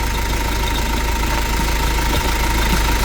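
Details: Iveco Daily diesel engine, heard through a stethoscope: loud, steady low rumble with a faint ongoing whir over the idle; belt not gripping fully due to worn tensioner, non-original alternator; noise likely from the water pump.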